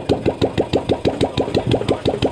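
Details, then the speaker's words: Royal Enfield old Bullet Classic 350 single, first start after full engine rebuild and reassembly: even, steady thumps at about five a second with no knocking or rattling; idling cleanly and healthy. "क्या बढ़िया आवाज कर रहा है देखना ये"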